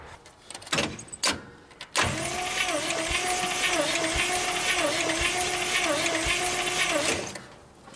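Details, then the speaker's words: 1956 Studebaker Golden Hawk that won't start: compression test cranking on cylinder 4, a steady roughly five-second crank with a slightly lopsided rhythm. It reads only 30 psi, too low to start; a wet test with oil will show rings or valves. "Yeah, there's our problem. 30 pounds of pressure is not enough to start it."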